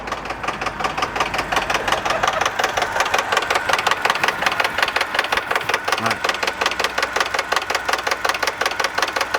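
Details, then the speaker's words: Subaru BRZ 2.0-liter, warm idle: steady fast clacking, about three per second, a sharp mechanical tick; owner suspects the hydraulic timing belt tensioner, possibly affected by excess recall sealant inside the engine, unconfirmed. "So as you can hear, the engine is actually starting to clack away now. I'm actually thinking it's actually the timing belt tensioner."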